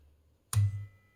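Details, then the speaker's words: 1974 HP/Harrison Laboratories 6226A 0-40V 1.5A bench power supply, first power-up, fanless with switched pre-regulator: sharp click then a short, loud, low transformer hum dying within half a second as the pulse-skipping pre-regulator charges the capacitors. "again that pre-regulator is scary yeah exactly what's happening here you can hear the pre-regulator is aggressive dangerous every time it charges the capacitors and this is a like a pulse skipping mode brador"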